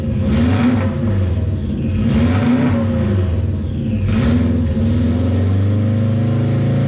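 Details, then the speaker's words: JDM-swapped Subaru Impreza 2.5RS with an EJ205 turbo, cold start with no exhaust past the semi-divorced wastegate downpipe and a stock blow-off valve: very loud, raw revs rising and falling three times with a falling turbo whistle. Engine healthy. "oh hell yeah I mean that's insanely loud right now but it still sounds super good not gonna lie"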